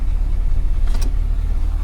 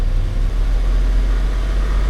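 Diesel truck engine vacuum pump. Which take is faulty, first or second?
second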